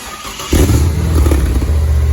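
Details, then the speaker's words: LS Fest car's first start after a custom Flowmaster U-fit stainless dual exhaust with Hooker Blackheart mufflers and electric cutouts: it catches quickly and settles into a deep, even, low rumble at idle. Normal start and idle. "Whoa. It's a good low rumble."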